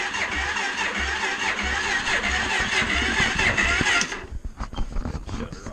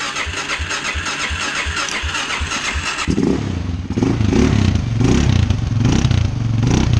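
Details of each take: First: Suzuki LTZ 400 ATV during tune-up, battery tested bad: sluggish uneven starter grinding about two turns a second for four seconds, then quits without firing; dead battery too weak to crank. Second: Suzuki LTZ 400 ATV after carburetor tune-up with new jet kit and repaired throttle position sensor, in the shop unloaded: catches, quick throttle blips, then a steady even idle, sounding much better than before.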